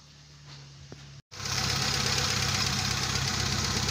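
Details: Kia Pride CD5 that would not start despite new spark plugs, high-tension cables and a strong battery, after cleaning the rusted distributor cap: engine catches on the first crank and settles into an even, steady idle with no misses or knocks.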